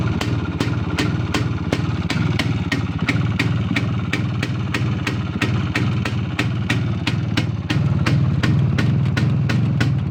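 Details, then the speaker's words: Izh P5 moped two-stroke, cold start using the choke after a head removal and minor repair; sharp, fairly regular ticking about three times a second over a rough idle, cause not confirmed. "О, давайте заведемо його на холодну, як він, короче, торохтить, нахуй."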